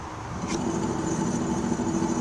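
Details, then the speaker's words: 1990 Geo Metro wheel bearing spun by hand: steady gritty hum, bearing free-spinning and sounding like gravel, a worn bearing that is rough. "now listen to this one no noise and but it barely spins bad wheel bearing now look at this one it's been completely free and it sounds like it's all gravel"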